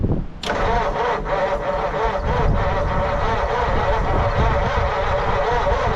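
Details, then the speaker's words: 1940 Mercury Eight stored since the 1970s, first start attempts, spark confirmed, one plug wire removed for a backfiring cylinder, valves suspected not sealing: starter grinds with a brief catch but never runs; cause unconfirmed. "Would have been cool to hear it fire for a second. Just don't think I'm going to get it to happen."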